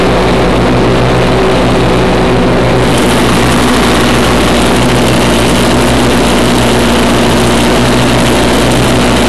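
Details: 1991 Craftsman GT6000, 20 hp Onan twin, first mow after deck lift eyelet bolt welded: steady drone with blades whirring under load, no bogging or misfire; normal running under load.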